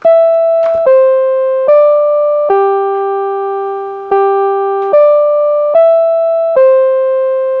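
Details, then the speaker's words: Rebuilt NuTone LB55 electronic musical door chime, original speaker: eight clean, bell-like notes play a tune with no buzz or hum; normal after rebuild, buzzing fault was not the speaker cone. "it sounds exactly like what it's supposed to sound like."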